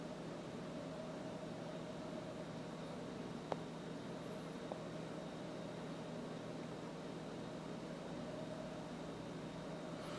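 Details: LG WM3997HWA washer/dryer combo starting a dry-only cycle, sensing load weight of a damp towel before estimating 35 minutes: quiet steady hum, soft whir, light clicks as drum turns slowly; normal drum rotation.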